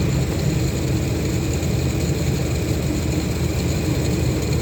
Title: Bad pulley noise?